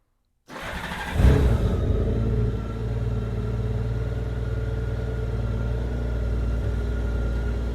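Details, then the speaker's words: 2002 Honda GL1800 Goldwing, 70,335 miles, due an oil change: starts quickly and settles to a smooth, steady idle, engine sounds good, but the exhaust is louder and rawer than stock because of drilled holes in the mufflers. "Now the exhaust sounds a little bit louder on this bike, and I'm going to show you why."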